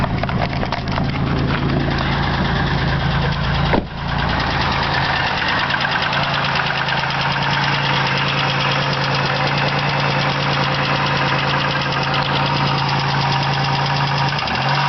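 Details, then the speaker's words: 2000 Chevrolet Malibu 3.1L V6 petrol, just over 65,000 miles, idling cold with a fast steady tick from the top of the engine that never goes away; lifters, plugs and wires replaced, cause unconfirmed. "it's got a bit of a a a tick when you start it and uh it is cold but um The Tick doesn't go away so what you hear is what I'm experiencing 24/7"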